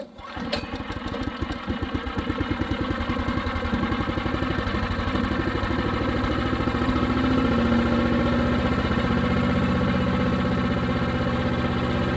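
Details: New Harbor Freight Predator 212 chipper shredder that would only run on choke, with fresh oil, break-in on low idle: single-cylinder starts and settles into an even thumping idle of about four beats a second, no surging; running fine.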